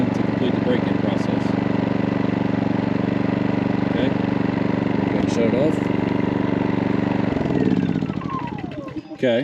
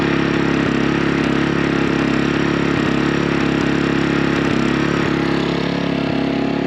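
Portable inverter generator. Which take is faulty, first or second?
second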